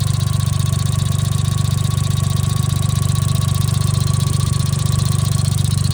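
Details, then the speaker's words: Small kei car with a boost gauge, hood open at idle: sharp, even ticking at about four per second over a steady idle, unusually loud; possibly the fuel injectors, not confirmed. "Also, what's that sound? That's the fuel injector. I don't think I've ever heard them that loud before."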